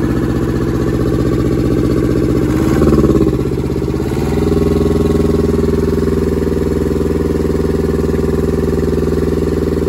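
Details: German air-cooled Deutz F2L511 two-cylinder diesel, ex-forklift, first start after sitting about 5 years: brief rev flutter, then a steady, even low thump with no knocks or misses; healthy idle.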